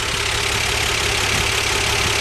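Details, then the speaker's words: 1977 Dodge van idling after sitting since November, oil and antifreeze unchecked; smooth, even low beat under a loud hiss, no knock or miss, runs like new. "Man, this thing runs like brand new. You can't believe it. Listen to it. It's just too perfect."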